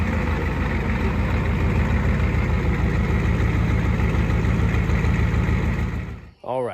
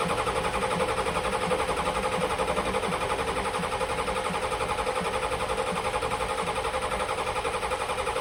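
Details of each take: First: 1986 Ford F-150 XLT, first start after swapping in a 7.3L IDI diesel from a box truck, on a temporary straight-pipe exhaust: it catches and settles into a steady, deep, evenly firing diesel idle with no misses, so it runs healthy. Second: 1986 Ford F-150 XLT with a 7.3L IDI diesel swapped from a box truck, fuel pressure confirmed and glow plugs held: ten seconds of even starter churn at about four beats a second with no firing. Injection-pump solenoid voltage dropped from 12 to 8.5 V on cranking because of a shared power wire and weak batteries.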